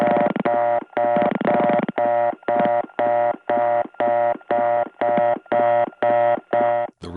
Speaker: tone actually gets softer when someone comes in louder when they hang up [Music] [Music] dang that was a lot of people getting busy circuits and we could hear it all because the last five digits get dialed out over the reorder telling